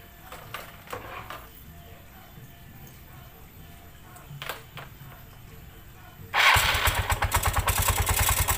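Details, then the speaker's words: 2009–2010 Yamaha Mio Sporty scooter: engine fires into a harsh, pulsing scraping rattle from the CVT; a loose crankshaft nut let the variator fan catch the cover. "Oke kita dulu Sudah dengarkan suaranya ya suaranya luar biasa kasarnya bisa dibilang kayak suara kapal pecah"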